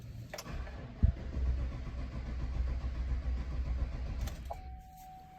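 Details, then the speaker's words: 2017 Chevy Silverado 1500 5.3, whose fuel pump and module were already replaced by the customer. Steady cranking for about four seconds never catches, then a chime. The PCM commands the fuel pump on, but there is no pressure in the rail or at the tank. "As you can see there, the PCM was attempting to enable the fuel pump. However, we had no fuel pressure in the rail or back of the fuel tank."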